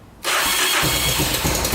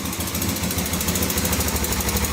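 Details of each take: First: 1986 Honda FourTrax 350cc 4x4 ATV electric start after fixing starter gear engagement with a thicker gasket; starter spins cleanly with no grinding and the single catches almost instantly into a steady run. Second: 1986 Honda FourTrax 350cc 4x4 ATV, started after sitting for years; quick even top-end tick on the rapid single-cylinder idle following engine speed, owner suspects valves need adjusting; revs sometimes surge and it stalls, carb clean suspected.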